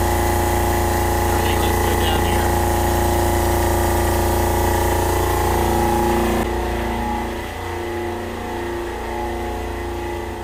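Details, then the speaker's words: Fischer Panda diesel generator on a Pursuit 355 boat, run after refitting parts, cold start; the fault was the VCS misreading cylinder head temperature. Steady, even drone with no misses, knocks or surging, pumping water; runs healthy. "I'm going to let this run for quite a while here. Make sure this doesn't do anything weird anymore with the computer."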